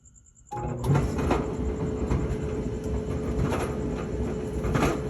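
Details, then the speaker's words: Whirlpool dryer, hot, with loud rattling and thumping. Deep steady rumble with irregular heavy thumps every second or two as the drum turns. Worn drum support rollers; the drum is badly damaged. "she's hot but you can hear that noise I'm going to open her up probably have some bad rollers and that drum is totally destroyed"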